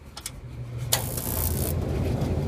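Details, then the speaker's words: Huebsch Originator laundromat dryer after ignitor replacement: low motor hum builds, then a soft whoosh as the burner catches and settles into an even roar; clean ignition, though the flame is more orange than it should be. "got a flame or more orange than it could be but work on that another time so this one's up and running"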